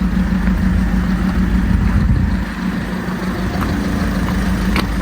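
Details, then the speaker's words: High-mileage VW Golf Mk6 at 244,000 miles, revved: steady, even diesel note held on throttle, no knocking or rattles, faint turbo whistle over it; sounds quite good, healthy engine. "Doesn't sound too bad, to be fair. Sounds alright. Sounds quite good, that."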